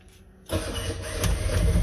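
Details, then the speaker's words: Ex-naval Chinese clone of Suzuki micro van, carbureted, choke pulled, in neutral, weak battery: silence then engine catches abruptly and builds into low steady idle; normal engine start. "Oh, there we go. It's running. Wow, that's the stuff."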